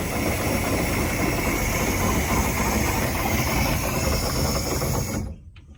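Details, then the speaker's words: 1967 Chris Craft Roamer yacht, Ford 427 V8 that sat about 11 years, run on a small amount of added fuel: loud, rough V8 runs steadily about five seconds then quits abruptly; stalls from running out of gas. "Must be out of gas. Okay, we put about twice as much fuel in this one as we did the one over there. Seemed to run longer."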